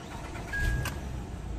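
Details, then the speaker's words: 2008 Acura TL 3.2 after repair of random misfires (P0300, P0302, P0303, P0305) and codes cleared: low steady idle hum with no stumbling or shaking; misfire gone. "it is it looks like the shaking went away no more misfiring we'll see"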